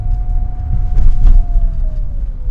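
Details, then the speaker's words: Lada Kalina 2192 after an improvised repair of a clatter that occurred when rolling, with the car fully loaded: rolling at about 30 with steady road rumble and no clatter, where the rattle used to start. "normalerweise hätten wir jetzt eigentlich schon das schippern da so um die 30 im rollen aber das ist soweit ganz gut"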